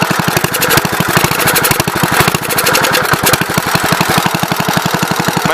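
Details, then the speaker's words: 1970 Gravely Commercial 8 single-cylinder, back after years sitting, carburetor float refitted to stop flooding: even, steady firing at about eight to nine pulses a second, no stumbling; running okay so far. "seems okay thus far"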